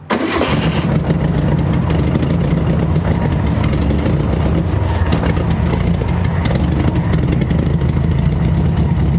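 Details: 1968 Volkswagen Beetle, air-cooled, abandoned over 20 years, first start with starter fluid sprayed and fuel poured into carburetor: engine catches and keeps running with an uneven, lumpy, wavering beat, running rough as if short of fuel; cause suspected, not confirmed.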